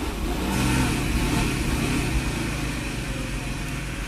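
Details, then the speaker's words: 1995 Mercedes SL500 V8, 108,000 mi, warm at idle: idles fine but revs waver and sag when accelerating instead of pulling cleanly; failed wires inside the throttle body, Fuel Safety Cutoff code present, throttle body to be rewired. "But when I apply gas and idle's fine. Well, doesn't run good."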